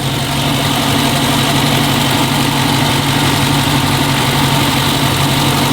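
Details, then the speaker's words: Dodge Charger Scat Pack V8 at idle, recorded with a large microphone held down in the engine bay to check for a commenter's suspected Hemi tick. The idle is an even, low rumble, and the owner concludes it is not ticking and sounds healthy. "I'll put you back down in there with this huge microphone and see if you can hear it yeah I don't think it I don't think it's ticking"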